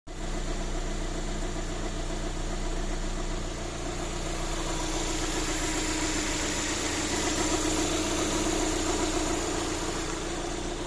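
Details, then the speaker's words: VAZ 2112 petrol engine after overhaul, idling smoothly and evenly: the hydraulic lifter knock is gone, traced to the oil pickup; no top-end ticking. "И как видите, нифига не стучат больше эти гидрокомпенсаторы. Всё же всё было дело в маслоприёмнике. Теперь можно ездить и слушать этот приятный звук мотора."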